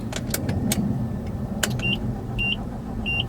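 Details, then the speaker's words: 1982 Nissan 720 King Cab truck, long sitting, key on, engine off: quick light clicks from the rear with oil and battery lights, fuel then spitting from a hole in the fuel line; clicking at key on. "hear something i hope that wasn't fuel pumping out no something back here clicking you got the oil light battery light you hear that what is that noise"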